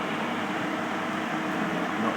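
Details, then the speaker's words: Xpelair 12-inch extractor fan pulled to second, full speed via pull cord: strong steady rush of air with faint motor hum, no rattles or scraping; normal high-speed operation. "as soon as you pull the pull cord to the second speed this thing really takes off and that would be your high speed or full speed as it were"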